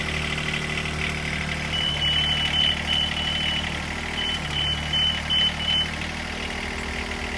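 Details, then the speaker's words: Duralift Jibbi 1250 boom lift pre-start check: repeated high beeps in two bursts of five over a steady diesel idle; movement buzzers and alarms working during startup, engine running normally. "and during the startup procedure we will hear our movement buzzers and alarms working"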